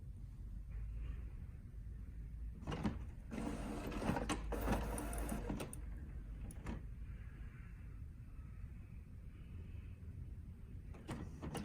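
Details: HP OfficeJet Pro 8100 running level 2 printhead cleaning (power held, X twice, paper twice); whirring motor bursts and mechanical shuffling, then short clicks, a normal cleaning cycle.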